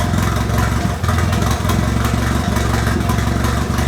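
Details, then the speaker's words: Nissan KA24E from a 1993 D21 at about 230k miles, turbocharged in an S13, after head gasket replacement and timing reset: even, steady idle with a firm low beat, no misses or knocking. Normal idle. "We reset the timing and it has made a world of difference. It's much more confident about it now."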